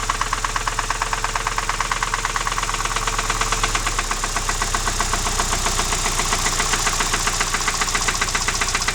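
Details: Alfa Romeo 156 engine, loud ringing knock that began at 120 km/h in 5th gear on the highway, restarted in the garage after towing: metallic knock over idle tracking revs; cause unknown, owner doubts cam phaser; camera mic understates loudness.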